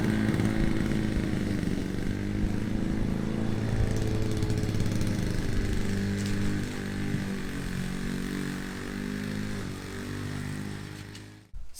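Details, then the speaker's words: Classic Victa PowerPlus two-stroke mower (carburetor kit fitted earlier), cold-started first pull after sitting 6 months: a buzzy drone dips and recovers in thicker grass and keeps pulling strongly without misfires. Healthy running under load. "she started first pull and Absolut cut the grass just flawlessly pushing through that thicker grass with no issues at all"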